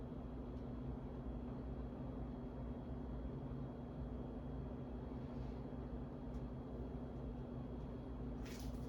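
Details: Steady low electrical hum with a soft, even drone and no knocking from a dirty 52" Harbor Breeze Asheville ceiling fan dated February 2013, before restoration; failing capacitor makes it sluggish.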